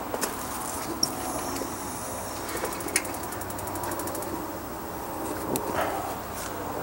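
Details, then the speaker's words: Ecotemp L5 propane tankless water heater for an off-grid cabin shower, with the water on: quick, even ticks, about six a second for two seconds, over running water; the igniter is clicking normally as it lights. "something I heard it clicking"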